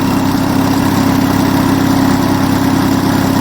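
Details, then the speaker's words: Onan US military generator engine, warmed up, meant to run at 1800 rpm, thermosiphon cooling working: smooth, even drone with no knocks or misses and no smoke even on start-up; mechanically spot on, normal running. "That runs an absolute treat, and there isn't an ounce of smoke. Even on start-up, that don't smoke, which is great stuff. I think mechanically that engine is spot on."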